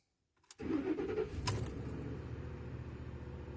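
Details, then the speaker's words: 2010 Ford F-150 5.4 three-valve with an extended-crank hard start; fuel primed three times beforehand to rule out a pressure problem. Short crank, then the V8 fires promptly into a smooth, steady idle. Normal start. "wow she fired up oh wow okay so i'm surprised um kind of lost for words that's a normal fire up"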